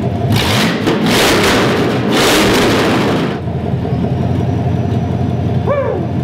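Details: 1994 Pontiac Trans Am with headers dropped, exhaust fully open, previously unable to rev past 3000 rpm: loud open revs climb and fall quickly then settle to even idle; revs freely, plugged catalytic converter confirmed.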